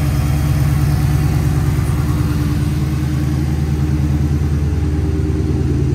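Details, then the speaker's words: 2007 Dodge Magnum SRT8, 6.1L Hemi V8, about 14,800 miles, MSD coil packs, K&N intake, SLP cat-back exhaust: deep, even V8 rumble at idle with steady low pulses, no knocks or misses; healthy. "That great V8 rumble sound, especially with that SLP catback on it now."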